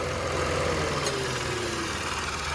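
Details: Mitsubishi Mirage with the A/C compressor running, after new rubber bushings/O-rings on the rattling air filter housing: idle is a smooth, steady hum with no rattle or buzz. Fixed; noise was worse when cold.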